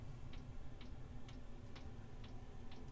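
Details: Diesel air heater newly installed in an ambulance camper conversion, first start with empty fuel lines: crisp even ticks about twice a second over a low hum as the dosing pump draws fuel; normal priming.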